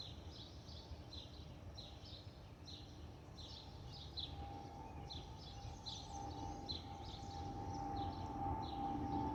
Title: Delta Airlines Airbus A319-114 N358NB DL2562 DCA-DTW (FOPP whistling sound)